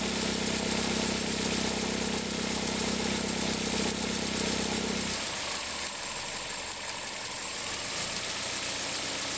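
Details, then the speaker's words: 2003 Toyota Corolla, cold engine: a steady whirring hum at the accessory belt tensioner with a faint fast ticking stops suddenly after five seconds. It appears in reverse with a slight throttle and occurs only cold. Worn belt tensioner bearing. "a gente percebeu que o barulho ficava muito forte na região aqui da correia de acessórios, porque o barulho dá ressonância no motor inteiro, dá até aqui no coletor, né?"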